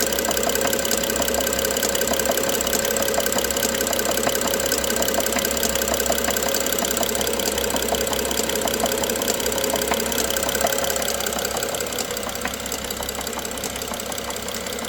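A petrol engine idles with a sharp, regular knock of nearly four taps a second over the run. Cause suspected, not confirmed.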